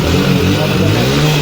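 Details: Hero Splendor Plus BS6, about 300 km, after replacing failed injector/fuel pump motor (ran low on fuel, repeated key-on): strong, even low engine note catching and revving cleanly, no misfire; now starts and runs normally.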